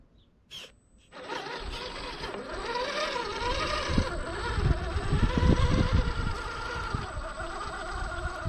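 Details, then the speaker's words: Redcat Gen 8 V2 1/10 crawler after swapping factory HobbyWing 1040 ESC for HobbyWing 1080, at very slow speed modulation: soft gear chatter and tyre scuff rising and falling with throttle, no electronic harmonic hum or whine, only mechanical gearing noise; drivetrain normal. "You can hear there is no electronic harmonic hum, no whine. All that you can hear is all the mechanicals, all the gearing moving in here."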